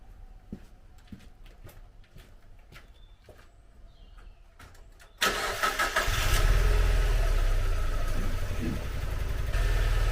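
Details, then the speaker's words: 2002 Mazda MX-5 Miata NB 1.8 with misfire on two cylinders: brief crank into a lumpy, stumbling idle; scope shows the ECU holding about 3.5 V on the suspect coil with no trigger, so its coil never fires. "so you can see from that there is no real trigger it's holding the uh he's holding the voltage on the coil"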